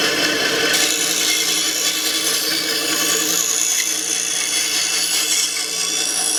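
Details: Restored 1950s Atlas 10" band saw Model 9360, sat unused for years, test cut after cleanup and tune-up with a dust chute added to shield the motor: steady, even rasp of the blade through wood, no knocks, thumps or rubbing rhythm; runs smooth and healthy.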